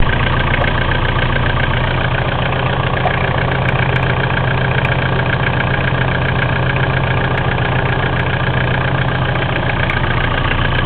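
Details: Mitsubishi 4M40 diesel at steady idle with a dull, uneven knock under the rumble, roughly a hundred a minute; cause undetermined. Engine knock.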